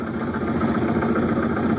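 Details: 2005 Yamaha F250 outboard, starboard motor, in reverse at low idle: rough, throaty rumble with uneven pulse, quieter in forward, inaudible at full RPM; bubbling from misaligned lower unit gasket; lower unit had failed and was replaced.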